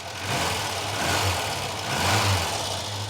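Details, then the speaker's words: Chevette barn find, first run in ten years, new leads, inlet recently off, possibly running on carb fuel: idle rises and falls with uneven low-end stumbles; slight misfire, cause not confirmed. "Okay, so there's a little misfire. I'm going to see if that clears before I do anything."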